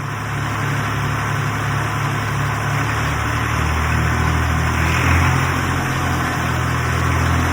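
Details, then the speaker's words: 1962 Fordson Super Dexta diesel tractor, revived after 25 years sitting, once air was bled and pumped from the fuel lines: steady, even low diesel clatter with no misses or stumbles; it idles cleanly and is healthy. "After some tweaking and some pumping, eventually we got her going."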